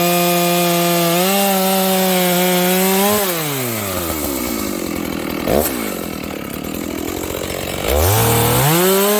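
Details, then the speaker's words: Stock Dolmar 7300 chainsaw, high jet fully out to limiters, cutting wood: high smooth whine sagging in the cut with little four-stroking burble; runs a little lean under load, got quite warm; owner plans to remove carb limiters. "That sounds a little lean to me. How about you guys?"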